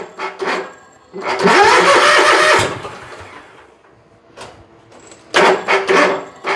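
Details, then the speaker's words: Bobcat zero-turn mower after electrical repairs, dirty air filter: engine catches, runs about a second and a half then fades; second start sputters and dies. Suspected fuel issue or weak battery; oil level sensor also suspected, not confirmed. "Probably need to charge the dang battery. Runs and dies. Now we got a fuel issue to deal with."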